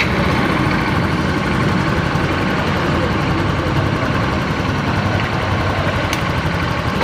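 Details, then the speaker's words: Yamaha Mio Fino 125 FI scooter after engine disassembly: rough, uneven idle with a dry ticking ("klitik") buried in the engine clatter; mechanic suspects missing or faulty spare parts. "tapi suaranya kasar ya matrix matrix gitu ya mungkin ini ada kekurangan dari sparepart ataupun yang lainnya"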